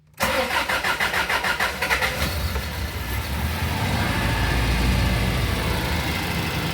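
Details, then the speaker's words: 1992 Toyota Previa 2TZ-FE 5-speed manual, first start after fitting a remanufactured cylinder head, oil added, coolant not yet bled: about two seconds of cranking, then a clean catch and an even idle with no shake. "Oh, buddy. First start."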